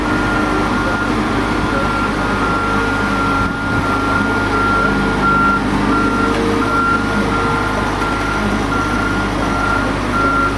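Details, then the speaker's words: Boatyard travel lift with new tires, moving a 37-foot boat for a haul-and-hang, driven by an operator with a yellow remote control box: a steady electronic beep repeats about every 1.5 seconds over a diesel drone, its normal motion warning. "In case you're wondering who's handling the travel lift, there he is right there with the yellow remote control box. Big smile on his face. And you can hear it beeping."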